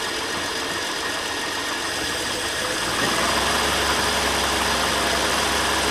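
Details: Ford Falcon just started after sitting all winter, fuel cell: fast, slightly uneven beat that firms up and grows louder after three seconds; rough running at first, owner blames the winter sitting.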